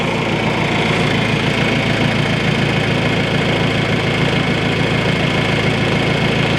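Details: John Deere 310A backhoe diesel on first start after an oil and filter change: loud, steady idle with an even clatter about three per second, no misses or odd knocks; runs clean, no leaks.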